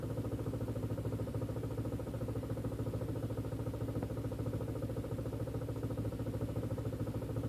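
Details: Audi/VW 1.8T idling with a fast, uneven pulse of about three beats per second and a slightly lumpy throb: a rough idle.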